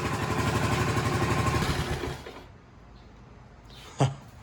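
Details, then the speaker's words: Restored 1984 Honda ATC110 three-wheeler, first start, cleaned tank, fresh oil; smoking slightly, believed burning off paint and debris. Quick, even single-cylinder thumping, no ticking or knocking, before cutting out: healthy. "It's smoking a little bit, but I think it's just mainly burning all the paint and crap that was inside it. It's getting all this oil and everything through the motor. First time in a long time."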